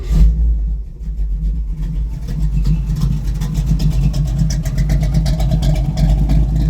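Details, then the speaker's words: 1968 car, Matador Red SS, 350 small-block Chevy, 3-speed, Jegs stainless exhaust with two-chamber mufflers: quick crank, catches at once, then settles into a deep, steady, even burble with no misses or knocks; normal V8 start and idle. "Polished vent in the back, just to let you hear it run real fast. She fires right up."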